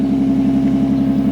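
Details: Newly bought Nissan 350Z, first start with exhaust removed, no revving: steady even idle with deep regular burble, no misses or knocks; loud but healthy.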